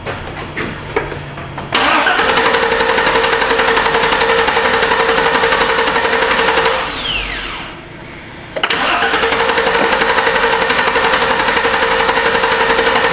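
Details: 2006 Chevrolet Silverado 2500HD, 6.0 V8 snowplow truck, 43,270 miles: starter cranks steadily for several seconds, pauses, cranks again without catching. Extended crank; another shop replaced parts without fixing it.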